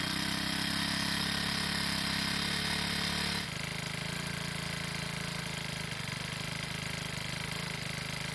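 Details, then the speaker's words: Troy-Bilt 4-cycle edger after repair beyond the broken purge bulb, with wheels and cables lubricated: small four-stroke keeps a steady, even putter with a firm low beat, no hunting or misses; normal running. "Well, it's safe to say that it needed a lot more than just a purge bulb for it to run well again."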